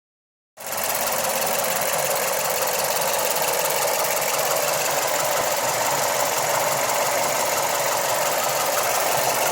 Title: Mazda 3 MPS/ Mazdaspeed 3 strange noise